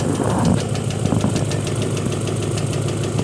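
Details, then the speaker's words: Honda engine at idle with a light, regular tapping about three ticks a second, less prominent at higher rpm; valves already adjusted. Cause was a faulty knock sensor with a check-engine code, not valve lash. "is the tapping noise this step most likely coming from ignition timing not right it could be from out so weak compression in one cylinder"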